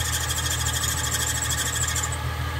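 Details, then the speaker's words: 2005 Ford Mustang V6 running with serpentine belt squeal: thin steady high squeal that dies away after two seconds when water is sprayed on the belt, showing the belt is worn; owner plans belt replacement. "I suspect that it's either a pulley or the belt and we are going to check right now I'm gonna push some water on the belt if this noise goes away then it will be most likely to belt"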